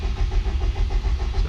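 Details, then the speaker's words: Subaru Impreza GC8 RSTI track build, engine cranked with ignition fuse 11 pulled to check oil pressure (gauge climbs, solid pressure): steady starter churn, about six even compression pulses a second, no firing; normal cranking. "And we're gonna crank it over just to verify we have oil pressure. And the gauge is climbing."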